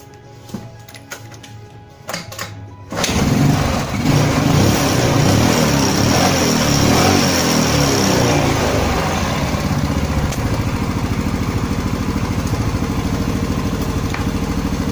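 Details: Yamaha Mio Sporty/Soul carburetor after fixing a worn slide needle and lower, with air screw adjusted: silent, then fires at once and holds a steady, even putter with faint music behind; running normally.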